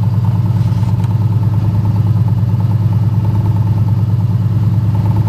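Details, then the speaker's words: 1972 Ford F-100 V8 after a cold start, having sat for a month, in about 100° heat. Some belt squeal at start, then a steady, even low burble at idle with no knocks or misses; sounds healthy. "sounds good I'll tell you that"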